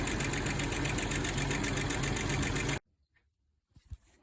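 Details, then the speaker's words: 2000 Jeep Cherokee XJ 4.0L 4WD after replacing timing chain, crank seal, harmonic balancer and alternator: quick regular ticking over a steady idle. Serpentine belt rubbing an AC line because a plastic clip was left out; clip and zip tie added. "all right so one thing I noticed if you look at the belt see that Silver Streak right there it was rubbing up against one of the ac lines down there"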